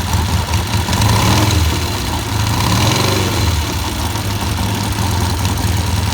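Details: Vintage British motorcycle, run to confirm it works before teardown and painting (a battery is suggested for dependability): the engine catches and settles into a steady, even low beat with a couple of light blips, no knocks. It runs cleanly.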